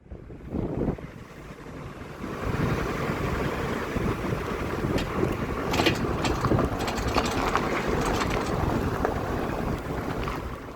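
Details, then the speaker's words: Opel Astra K driving over bumps, unbraked; sharp metallic clatters on each bump under road and wind noise, gone when braking; left front brake caliper loose, missing its anti-rattle clip. "You can clearly hear it's on the left side."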